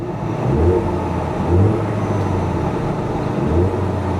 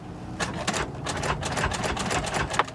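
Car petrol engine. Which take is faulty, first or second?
second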